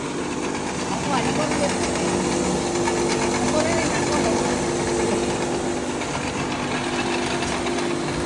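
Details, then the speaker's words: Rice husker repaired with a new heavy-duty husking head and a fixed motor, tested husking grain: even, steady mill roar with a busy grain rattle, motor quieter, no dropouts or rising whine; normal running under load. "มแดงอันนี้ลองเทสกระเทาะดูนะคะเสียงมอเตอร์ก็เบาลงด้วยาวง"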